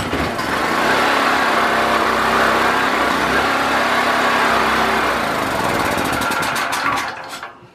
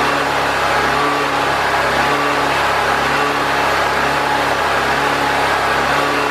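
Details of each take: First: Predator 4000 generator with fuel issues (petcock had been gummed up), carburetor reattached, choke and fuel on, pull-started: it runs hard and steady longer than before, then sputters, slows and dies. Owner suspects the fuel pickup tube is not low enough. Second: Predator 4000 generator running consistently for an extended period after fuel and carburetor troubleshooting, adjusting for air-filter restriction and refitting the air box; smooth, steady drone at constant speed without surging or hunting. Old oil still in it.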